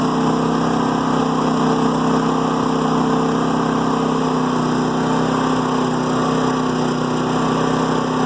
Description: I have a new Firman generator that seems to have a rough idle when in Eco mode.